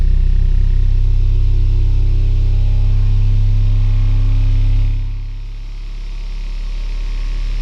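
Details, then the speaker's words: Sovol SV07 (Plus) 3D printer running a Klipper input shaper "Measure X" test with the accelerometer on the extruder: the print head shakes back and forth at rising frequency, up to 100 Hz over about 4 minutes, with a buzzing hum that dips and swells; normal. "It's shaking with increasing frequency. We can hear a little bit of sound."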